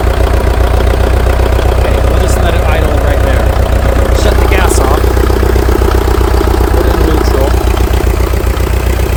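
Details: International TD-6 crawler, revived after sitting 11 years with the engine rusted stuck, started on gas then switched over to diesel after the #4 cylinder misfire fix. Deep, steady diesel chug at idle, firing evenly with no misses: healthy idle.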